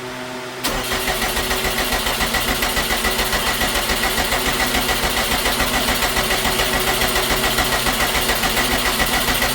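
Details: 2012 Subaru STI hatch with a rebuilt engine, not run in 9 years, at first start after reinstall with a new fuel pump, basket and tank on 93 octane: even starter chugging about 3.5 beats/s for ten seconds, never catching. Cranks without starting.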